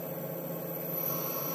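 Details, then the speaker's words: Tormach PCNC1100 CNC mill, first run after spindle and bearing replacement (old one had 3 years, howled/whined), at low RPM: quiet, smooth, steady hum with no howl or whine; healthy spindle. "it that sounds really fantastic yeah my old one used to howl a little bit wine I guess you call it um and you don't realize it cuz it happens so slowly over time it just gets a little bit louder and louder this sounds fantastic"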